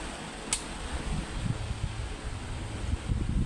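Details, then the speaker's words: Electric fan after its motor shaft bushing was replaced with a bearing, tested while oscillating, camera near the motor; soft, steady low whir with no rattling or clicking; normal fan running with oscillation. "So wala naman siyang ingay no."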